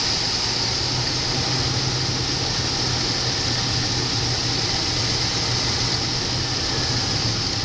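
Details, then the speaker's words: 1993 Buick Roadmaster 5.7 V8, 100,302 miles, engine test: a steady, low, even idle hum with no knocks or ticks; sounds good, a healthy idle. "Vehicle has 100,302 miles. Sounds good."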